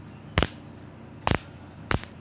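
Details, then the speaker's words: Mosquito racket that was totally dead, after repair with a replaced switch, tested by sparking the grid with a screwdriver: three sharp crackling snaps about a second apart; good strong spark, normal discharge, repair complete. "Yang percikannya bagus di sini, berarti langkah perbaikan ini sudah selesai."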